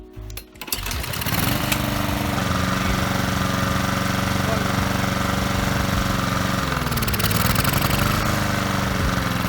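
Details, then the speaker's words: Small lawnmower engine surging/hunting, speed rising and sagging every few seconds instead of holding steady; runs unevenly, rattles under load and dies; carburetor cleaner sprayed into the intake after warm-up didn't help, so a tiny hole in the carburetor that might be blocked gets cleaned. "today we are going to fix our lawnmower that runs on you and leaf see for yourselves"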